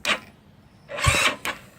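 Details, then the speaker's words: GY6 scooter with a new Shin Yea high-torque starter, on a weak battery of about 12.04 V with a jump starter: short, sharp solenoid clicks, about four in two seconds, with no cranking; not enough amperage to turn the starter. "you could feel it clicking if you feel that the spring magnets to the conduction it's just not enough juicer turn it over not enough amperage to really get the full potential of the starter motor"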